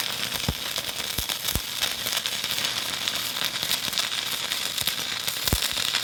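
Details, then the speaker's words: Stick welding with a Hitbox TIG 200 using a 308 stainless rod: steady sizzling crackle with occasional sharper pops, no long hiss or sputtering gaps, a stable arc laying a good bead; normal stick welding arc. "I'll go ahead now and start on this hold that's used in the 308 didn't stick on the back but I got over here real good and I could hear that crackling tells me it's good"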